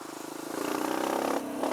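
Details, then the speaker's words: Kawasaki KLX140 with newly installed KX65 carburetor on first test ride: engine revs up then flattens and loses power around mid-throttle, sputtering from half throttle; rider suspects the needle needs raising or lowering. "there's like a big blog you can you can hear it it just rubber bro you know just it just loses power right there in the middle"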